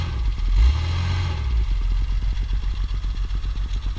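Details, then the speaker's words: 1958 Mercedes-Benz 220S Pontoon revved briefly at the exhaust: the revs blip, then drop to an even, steady idle with regular pulses, no knock and no smoke; a healthy engine. "you can see it's not smoking or anything out the exhaust go ahead and R"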